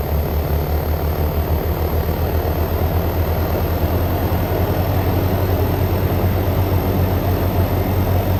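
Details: Frigidaire Gallery GHWQ103WC1 10,000 BTU dual inverter air conditioner, rescued from trash, ramping up at 66° ambient with 54–55° outlet air: even deep compressor drone with constant condenser fan whoosh, no knocking or grinding; healthy.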